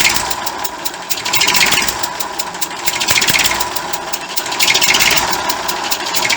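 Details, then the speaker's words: 1959 Fordson Dexta tractor diesel at idle, 62 years old: sharp hissing puffs with every firing; leak at injector area on exhaust manifold, water pump also audible and being replaced. "we've got a leak here from the injector in the corporations on the exhaust manifold that's where that sounds been coming from"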